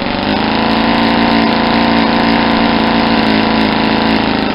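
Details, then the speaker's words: Rebuilt Saito 50 four-stroke model engine, first run-in on APC 11x7 prop with 10% nitro fuel, needle set very rich: loud steady run with soft uneven blubbery burbling, lots of smoke; over-rich mixture. "it's a really rich and you'll hear kind of blubbery it's an obviously not set 50 because I want to try and do some run-in with this that's what a four-stroke sounds like when it's incredibly pretty"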